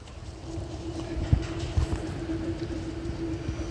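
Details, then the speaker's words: Rear wheel hub spun by hand: steady low hum with scattered rough ticks, no looseness at 6 and 12 o'clock, a noisy worn hub bearing. "and it normally you think like if i held it at six six and 12 there's no looseness but the bearing is it's noisy"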